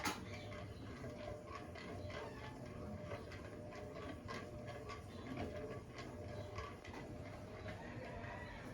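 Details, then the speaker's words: 20-year-old (since 2004) KDK B56X5 56-inch industrial ceiling fan with stiff motor, on speed 5: low rumble with faint regular ticking, turning only about as fast as speed 1 normally; owner suspects worn bearings; unusual running noise with slow speed. "the speed it's on right now is about as fast as it will usually go on speed 1, which is actually pretty slow."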